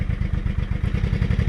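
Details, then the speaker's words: Honda Shadow 500 V-twin started after replacing broken and loose bolts lacking Loctite, choke cable broken: lumpy but even idle thump, no clunk or knock; running healthy, warming up. "there we go oh my god the clunk is gone"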